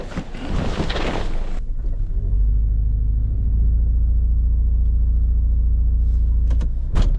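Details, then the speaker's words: 2013 Toyota Corolla with intermittent rough running and engine light for a year, plugs, coils and injectors possibly already replaced: lumpy, uneven idle after a door thump, misfire seen on the scope but not in live data; coil codes set, fake coil suspected. "Alright, it's definitely misfiring. I don't know why it's not showing up on the data, but we saw it on the scope."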